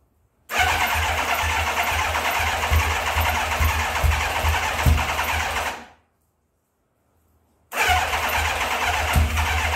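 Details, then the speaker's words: 1984 Kawasaki ZX900 first start after sitting about 5-6 years: runs raggedly with uneven firing, dies after about five seconds, refires rough; sticking carburetor floats flooding the engine, raw fuel spitting out. "okay so the carburetors are a mess um the floats are sticking i can tell it's flooding the engine out"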